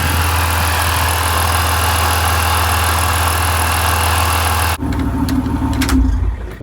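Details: BMW E46 323i with M52 engine after replacing the faulty air flow sensor that caused crank-and-stall starts: the engine settles into a steady, even idle with a smooth low hum and no stumble or miss, then is switched off.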